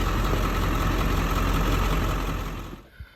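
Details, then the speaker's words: Ford 7.3 Powerstroke diesel at cold idle: heavy clatter with lumpy, uneven beat; only one passenger-side cylinder warms, three stay cold — three cylinders not firing from non-flowing injectors; buzz test and high-pressure oil readings normal. "now when it's cold this passenger side only one of them will get warm and then the other three won't warm up"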